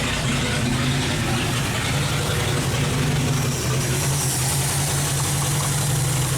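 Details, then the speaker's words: 1970 International 1200 pickup that sat 30 years, first running after ignition work: low, slightly uneven chug with no misses; carb float stuck, overflowing fuel out the air vent; carb needs rebuilding. "Float stuck in the carb. We're just overflowing, dumping fuel out the air vent."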